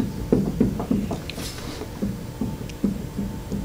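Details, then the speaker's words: Cub Cadet zero-turn mower deck spindle, belt removed and spun by hand: uneven gritty clicks and rough rumble about three per second from a worn bottom bearing with play; worn spindle bearing, to be replaced. "you can hear it that's the bearing at the bottom so pretty much the bearing at the bottom is getting worn out same situation up there"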